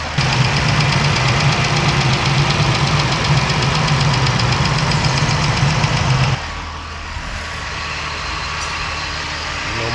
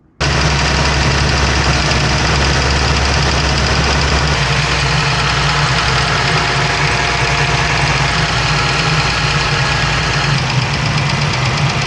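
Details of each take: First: Smooth, even idle settling lower and quieter with no lifter tick or clatter on a 2017 Dodge Ram 1500 3.6L V6 (105–106k miles) after repairing the failed roller followers/lifters that caused ticking; a little residual oil smoke burning off. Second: 2017 Dodge Ram 1500 3.6 L V6 at idle with light quick ticking from the top of the engine; a failed roller follower with the rollers damaged, plus a worn cam lobe.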